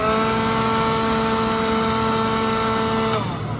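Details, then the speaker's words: Second-hand pawn-shop battery leaf blower, single-speed and rated 120 mph, tested with the battery plugged in. Steady high fan whine at constant pitch, then a clean spin-down when released; runs smoothly with no rattle; normal. "It's real nice. It's not loose or anything. And then it's just one speed. It's 120 miles per hour based on what this thing said."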